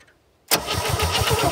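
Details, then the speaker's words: 1967 Chevy C-10, points seen opening and closing but no spark at them: starter cranks with an even chug of about six compressions per second, no firing at all. "okay well we can see that they're opening and closing but i'm not seeing a spark there so we're gonna have to look into this"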